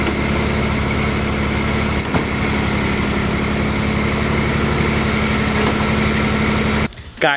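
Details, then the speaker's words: BMW E30 first start after years of sitting: lumpy, uneven idle with a shaky beat before being shut off; sounds really rough, rough running after long storage, cause unknown. "can't believe the car started I turned it off because it sounds really bad it sounds really rough"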